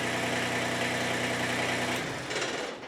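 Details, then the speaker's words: Kubota BX25 small diesel tractor, warm, after replacing faulty fuel shutoff solenoid, started without touching throttle: runs steady and even a couple of seconds, no miss, then shut off; no longer hard starting or extended cranking; normal idle. "actually not a bad fix so uh that's it uh not much to this video but uh and now no longer is a hard starter and no longer has that extended extended extended"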